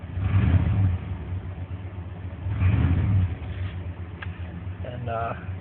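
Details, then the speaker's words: 1994 Chevrolet K1500 5.7 TBI, 253k miles (reman long block), after replacing the engine coolant temp sensor that caused hard starts and stalling until warm: two rev swells then smooth steady idle, no sputter; normal idle. "I don't know if you can hear the difference but it idles a lot better even before it didn't die it was sputtering a little and right now it's idling nice and smooth like it just before it had any problems"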